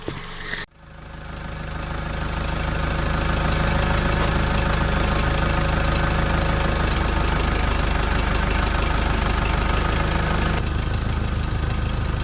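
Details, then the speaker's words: 1968 Case 580CK backhoe, 188D diesel rebuilt after rain seized it, oil pressure gauge not working: lumpy, uneven knock about four beats a second over heavy rumble; rough misfire, owner says injectors badly need replacing. "I think it needs injectors big time. Well, I know it needs injectors big time, but that's most of what it is."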